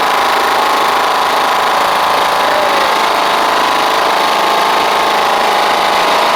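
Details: Toro Proline walk-behind mower with Kohler Command engine, after new spark plug and carburetor, blade missing: steady, even small-engine drone at constant speed, no surging or misses; normal running.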